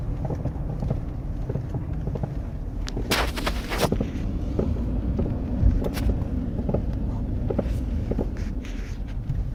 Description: When my 2012 F350 is driving in weather below 15-20° F or so, it makes a loud crunching/clunking in the front which feels to be in the steering.